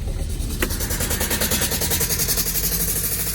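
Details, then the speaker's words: Vauxhall Vivaro/Renault Trafic 1.9 dCi diesel after a runaway, oil everywhere: runs rough with an uneven knock about three times a second at idle; engine likely cooked, exact internal cause unclear. "all right so i'll just get a close-up view of what's actually happening when we run it um it starts but knocking its"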